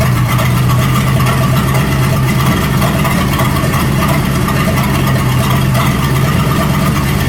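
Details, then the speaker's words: 1937 Buick Roadmaster straight-eight with a rebuilt-looking Stromberg carburetor, after setting the idle screw and idle mixture screw: loud, unmuffled idle with a fairly steady, even beat and no obvious stumble; sounds much better, still needs fine tuning. "That sounds a whole lot better. So we got our idle screw set here, and then I'll turn the idle mixture screw over there, and that seemed to help a little bit."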